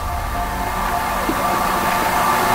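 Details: Bunn Ultra-2 slush machine after replacing the cooling solenoids, both sides set to cold: a steady, even hum with a constant mid-pitched tone and no knocks or surges. The compressor runs normally.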